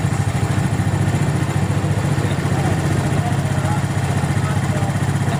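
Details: Suzuki Smash single-cylinder carburetor being tuned, air screw set to highest engine speed before idle is lowered: quick, even, steady putter with no misses or hunting; idle sits high and smooth, normal idle.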